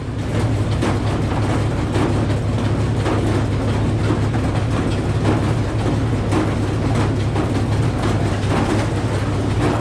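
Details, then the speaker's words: Old Frick sawmill running with a 605 cubic inch engine and the big blade turning: a loud repeating metallic rasp over the engine drone. It came from a worn, seized carriage pulley bushing on a 7/8 inch bolt grinding metal on metal. "So that noise we all just heard sounded like metal on metal. That's clearly not right."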